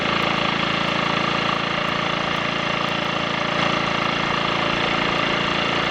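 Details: Triumph Sports Cub single on a road ride after fuel tank cleaning for fine rust and a projected-nose spark plug: even unbroken drone, steady firing, no misfire or cutting out; rider notes slight hesitation at half to three-quarter throttle, suspects crud on the carb needle.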